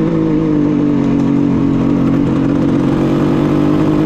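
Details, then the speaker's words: 1974 Kawasaki H1 Mach III fitted with H2 750cc two-stroke triple, warmed up, revving: steady buzz with light metallic clatter underneath, absent at low idle; owner suspects crank bearing noise, unconfirmed. "so I don't know how well you guys can hear me but now that this thing's warmed up getting some sounds like crank bearing noise"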